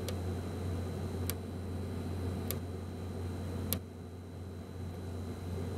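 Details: be quiet! Dark Power 12 1000W PSU after 40-60 minutes under heavy load: sharp, random single clicks and short click series with random pauses over a steady low hum, from inside the unit; replaced under RMA.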